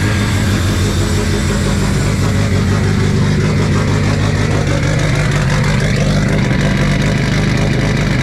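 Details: Big-turbo cammed Subaru boxer on first start after new headers, no intercooler piping and MAF unplugged: loud uneven lumpy revs on throttle blips, lots of vacuum leak making it run rough.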